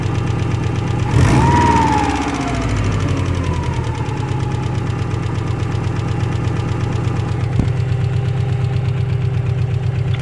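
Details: Cold start idle with a regular light tapping roughly three per second over the engine hum; engine knocking when cold, cause unconfirmed.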